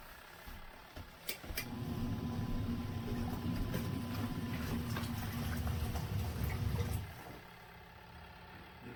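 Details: Twin-tub portable washer's spinner side spinning out water: starts with a thump, then five seconds of smooth low humming rumble before stopping; healthy spin cycle.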